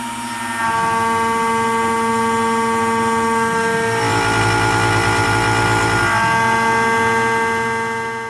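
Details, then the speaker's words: OpenBuilds MiniMill CNC router after bolting its base to a 35 lb aluminum block, repeating the same aluminum cut: steady tonal ring with harsher noise midway and the vise handle bouncing; finish improved but chatter remains. "It still sounds like kind of not great, but and you can see the handle like bouncing around of the vise a lot. That's just the handle's just loosely on there, so it doesn't matter that it's vibrating, but it shows the vibrations."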